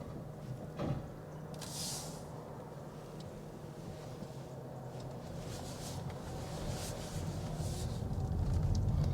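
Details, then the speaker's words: 2021 Toyota Avalon XSE Hybrid cruising on its electric motors, heard from inside the cabin. There is no engine noise, just soft tyre and road hush with the odd light click. Normal, completely quiet electric-mode cruising. "but this cabin here is completely quiet you don't hear any noise it's completely cracked it's completely quiet because it's using the electric motors"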